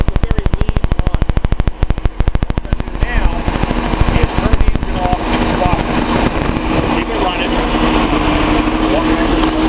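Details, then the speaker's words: Datsun 280Z L28 engine cranking then idling lumpy with a stumbling beat; a power balance test points to cylinder 6's injector, which clicks, and a Color Tune plug is fitted in that cylinder; misfire suspected from a possibly clogged injector. "okay so what we're going to do here is try to diagnose a misfire I believe it's this injector number six"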